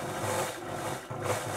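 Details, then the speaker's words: Elna Electronic TX sewing machine after repair of worn motor brushes and a faulty resistor: even, steady motor hum with no stutter or hesitation; machine runs smoothly and healthy. "running nicely there. So I'll have a happy customer because this machine has sentimental value for her, so she'll be pretty pleased, I think."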